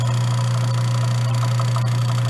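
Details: Grindmaster 890 series coffee grinder grinding fresh beans into a bag: steady, even motor drone with a light gritty rattle of beans, no knocks or surging; normal grinder operation.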